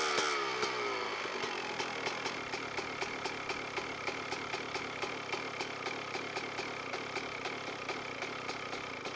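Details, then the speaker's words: CR125 two-stroke with the air screw turned in to a very rich position: muffled, blubbery idle with irregular popping that fades as it bogs and the idle drops quickly; too rich at idle. "et comme vous l'avez entendu juste là, il s'embourbe assez bien et le ralenti vient de tomber vraiment rapide si définitivement trop riche d'un position"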